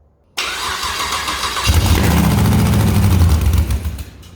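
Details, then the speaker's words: First start of a 6L LS V8 in a Mini Moke build, fuel pump priming and starter wired directly to the battery; a brief crank, then a clean catch and a steady, even idle. "It lives."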